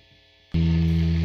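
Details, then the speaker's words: Guitar drive setup: after a quiet half second a loud steady low hum with hiss swells up with no notes played; noise cleans up without signal, worsens when notes are hit, and has changed since playing began. "now it stops once i stop the signal once the signal's not going through it it cleans up but as soon as i start hitting some notes it's getting worse"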